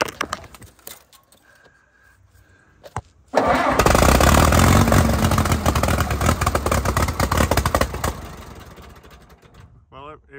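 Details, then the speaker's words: 1952 Case DC3 tractor parked 15 years with a tree growing through it, start attempt: catches and runs rough and missing for about five seconds, then fades and stalls. Owner wonders if the choke is partly on. "runs for a little bit okay [Music] up that's a fairly good L we're missing some here but we going to let it ride for a minute and uh see what happens"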